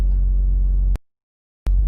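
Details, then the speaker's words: 2008 Honda Civic Hybrid (FA3/FD3) at idle: a deep steady droning hum and buzzing vibration into the cabin, stronger on one side and worse in reverse. A worn top engine mount is suspected as the usual culprit. "it has more of that buzzing sound and it's it feels like there's something is off you know what i mean so what i'm gonna do is check the top engine mount usually usually that's the culprit on this car"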